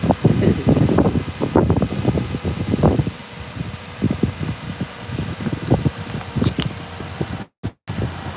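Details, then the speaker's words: Lexus RX330 engine after replacing upper and lower intake manifold gaskets, both knock sensors and knock sensor harness, first start: soft steady idle under whooshing cooling fan, no knock or misfire, no coolant leaks; normal idle. "Motor sounds good. And we don't got no leaks. Good stuff."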